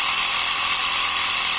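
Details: Portable 12 V piston tyre pump near 3 bar with a hot cylinder; fast, even piston chatter with hissy top end, no knocks or stalling — normal running.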